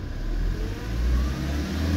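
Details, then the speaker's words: Ford Transit Mk7 diesel van with the traction control light on: deep drone climbs only slowly and lazily as the accelerator is pressed; diagnostics point to a faulty intake manifold pressure sensor, to be removed, checked and cleaned or replaced. "It's got the traction control on, light on, and when you press the accelerator pedal, it's really slow at picking up speed."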